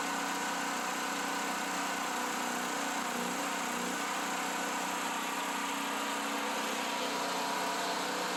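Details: Generator after long improper storage, new carburetor installed, running on clean gas via inline fuel filter from another generator: steady even drone at settled idle, no misses, knocks or hunting; runs smoothly.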